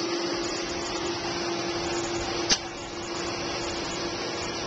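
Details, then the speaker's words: Newly fitted energy-efficient two-speed Centurion E+ pool pump motor, replacing a single-speed, switched by timer and relay to high speed: steady even hum at one pitch with a single click, current draw and pressure up; running properly. "you can hear the pump has come on hard and our current draw is up again"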